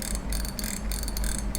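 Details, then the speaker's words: Daiwa Revros LT 4000/6000H (2019-2020) spinning reel after modifying the too-quiet drag clicker: quick even clicking bursts over a low hum as the spool turns; clicker now audible, though slightly dull. "หลังจากที่เราปรับแต่งแล้วก็ถือว่าโอเคครับก็ดังขึ้นมานะครับ"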